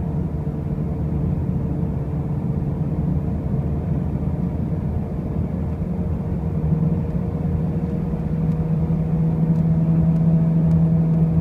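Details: 2005 Pontiac Grand Prix with brand new wheel bearings and new tires: a deep road rumble with a low hum that grows and firms up as the car picks up speed; a droning noise while driving, source unclear.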